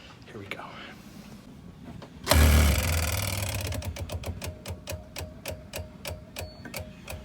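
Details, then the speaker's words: Boat fuel lift pump retested after a fuel line air leak repair, switched off for a few minutes then back on, on a hot day: it buzzes briefly, then settles into slow, even ticking within seconds; normal operation, no air leak. "that is music to my ears i'm gonna do it for a longer period if it works out it's done okay turning the pump on again let's listen that's good"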